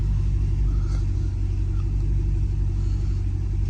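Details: 2010–2014 fifth-generation Camaro after fixing a cylinder 2 misfire (codes P0302, P0202, injector miss) and replacing a fouled spark plug: deep, steady low rumble idling smoothly, codes cleared, no check-engine light, no fuel leaks.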